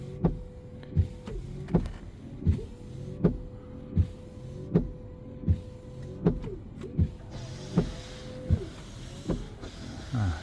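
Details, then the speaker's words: 2022 Kia Niro EV washer fluid pump after replacement, car switched on: short bursts of steady mid-pitched electric hum with faint ticking; pump heard running though nozzles not spraying yet. Normal washer pump operation. "don't see him spraying let's check what's going on but I hear at least the pump going this time didn't hear that before"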